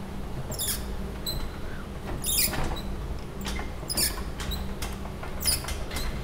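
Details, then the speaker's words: MEC cryostat exoplanet camera, opened after five years on Mauna Kea: sharp high squeaks in short bursts about every 1.5 s as the shield slides down; the RF gasket, meant to seal against electromagnetic radiation, drags and squeaks. "it's supposed to make an a seal against electromagnetic radiation I don't know if it actually does what it's supposed to do right I don't know what is happening yeah it it's just not smooth"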